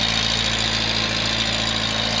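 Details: Datsun 521 truck idling steadily and evenly with no knocks or misses. It smokes a little under throttle and dieseled about a minute after shutdown; valve stem seals are suspected to need replacing: normal idle.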